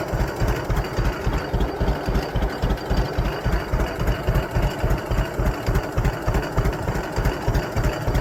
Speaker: that's about as low as I can get her to [Music] go